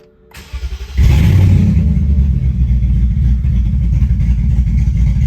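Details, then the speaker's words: Car running with no exhaust after headers and cats, open-pipe and loud: rough, uneven idle with stumbles and check engine light on, still randomly misfiring; cause not yet found, possible sticking lifter suspected. "sounds a little rough yeah and there's the check engine light so it is still missing"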